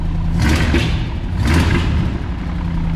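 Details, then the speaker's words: V8-engined Transit on 99 octane fuel after fixing corroded alternator connectors: deep idle ticking over nicely, blipped twice with a slight pop as revs fall from running a bit rich; much better than before. "it's obviously running a bit rich, but that sounds good. That sounds much better than it was."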